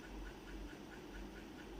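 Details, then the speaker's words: LG top-load Inverter Direct Drive 12 kg washer, previously not draining or spinning, after drain repair: steady low motor hum with even repeating swish as drum spins up; spin cycle works normally. "เหลือตัวสุดท้ายคือปั่นหมาดนะครับเนี่ยปั่นมาก็ทำงานนะครับ"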